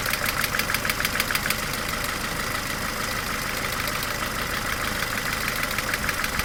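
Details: 18-year-old Mercedes A-Class W168 1.6 L petrol automatic, about 150,000 km, at steady idle: a sharp, regular clacking of roughly two per second rides over the valve-train chatter; cause not yet identified.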